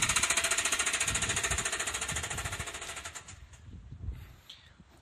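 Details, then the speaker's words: 2010 Nissan Moco (MG22) at about 60,000 km with poor oil-change maintenance: a loud, hard metallic hammering at about 3.5 blows per second that fades as the engine winds down; a severe internal knock, suspected seized bearings, not confirmed. "いうような感じでですね、エンジンルームに誰かがいるようですね。"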